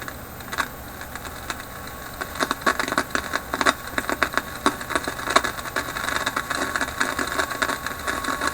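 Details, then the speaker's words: Philips 922 vacuum tube radio on the top band (about 6–16 MHz) after a dozen capacitors were replaced: irregular crackles and pops persist intermittently; the owner suspects a failing capacitor whose capacitance is changing. "Still kind of crackly, eh? It's getting something. Now, hear that terrible crackling coming. That's what I was trying to defeat on all bands."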